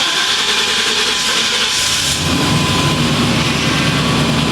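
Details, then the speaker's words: 1997 GMC Sierra 3500 starting after a rushing hiss, catching in about two seconds and settling into a steady, even run with no misses, after a dead fuel pump was replaced; the no-start is fixed. "That was it. All right. This thing sounds good, too."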